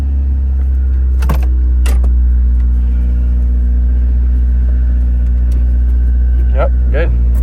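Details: Honda Del Sol manual, after starter replacement with battery, air intake and vacuum hoses refitted: starts, then a low steady even hum of the four-cylinder idling with a few handling noises on top; healthy normal idle.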